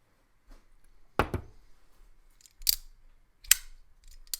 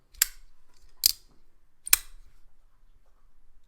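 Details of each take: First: Demko AD20.5 folding knife after disassembly and Skiff bearing upgrade, blade centered with no play: sharp separate clicks and snaps at the pivot with each opening; the knife functions fine, cause of the clicking unknown. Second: Demko AD20.5 folding knife after upgrade to Skiff bearings and cleaning out gunk: three crisp, clean snaps about a second apart with no grit or drag, locking up solid and centered; smooth knife action.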